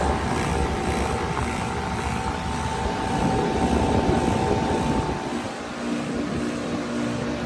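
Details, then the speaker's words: Heat pump outdoor unit in heat mode in snow, not frozen, about two hours without a defrost: it roars hard with a coarse throb about four times a second; the compressor sounds strained, cause not yet known. "But shoot, that compressor still sounds bad."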